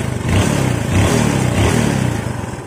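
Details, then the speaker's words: Yamaha Jupiter Z single idling after the carburetor mixture screw, set three turns too tight (fouling the plug black), was backed out three turns: smooth, even putter; normal idle. "jadi setelan yang dari bengkelnya kemarin itu kekencangan ya kekencangan tiga putaran ini saya kendori 3 putaran ke belakang ini normal"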